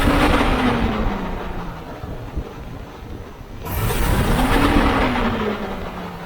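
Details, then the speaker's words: Chevy 350 V8 in a C3 Corvette, before fan clutch replacement: revs rise, and after throttle release they hang a second or two before slowly falling; owner believes the old fan clutch isn't disengaging. "I'm going to rev the engine up, and when I let go of the throttle, it stays revved up for a second or two and then comes back down. It doesn't drop immediately like I think it should."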